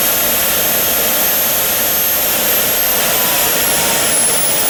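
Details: JetCat RC jet turbine after repair of starter clutch, worn bearings and deformed NGV causing blade rub: auto-start completes, smooth steady roar with high whistle, no surging or rough pulsing; idle exhaust temperature under 500°C, clean even idle.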